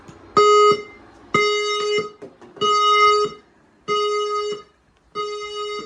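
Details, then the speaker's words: Newly installed F220 fire alarm panel in a house, triggered by a smoke test on a detector. Loud sounder bursts of about one second with steady mid-pitch tone, and a spoken message: evacuate the building using the nearest fire exit. Alarm sounding evacuation normally. "Evacuate the building using the nearest fire exit. Evacuate the building using the nearest fire exit."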